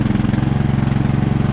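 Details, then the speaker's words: Briggs & Stratton Intek riding lawnmower engine after blown head gasket replaced and cooling fins cleaned: even, rapid single-cylinder thumping at steady speed, no misses or knocks; runs cleanly, normal running. "in this case worked well new head gasket everything runs great"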